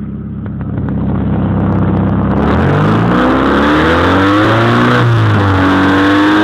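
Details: 1992 Honda Accord petrol engine idling then revving up loud and raspy; exhaust leak.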